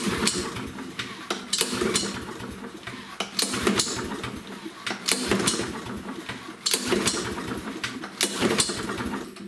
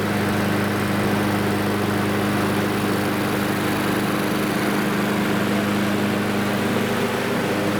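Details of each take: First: Husqvarna lawnmower with Briggs & Stratton engine and auto choke: repeated recoil pulls, each a short whirring rasp with scattered pops, never catching; it will not start on its own, the auto choke being the problem. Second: Lawnmower single-cylinder engine after its auto-choke arm, pushed too far toward the carburetor, was bent back toward the muffler. It started on the first pull and runs at a steady, even drone with no misses or surging.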